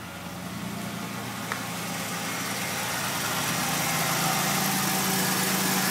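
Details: 1985 Oldsmobile 98 Regency coupe, 3.8 V6, front-wheel drive, warm weather start: steady idle with a faint, regular light tapping about four a second from the front of the engine; owner blames the timing belt, unconfirmed.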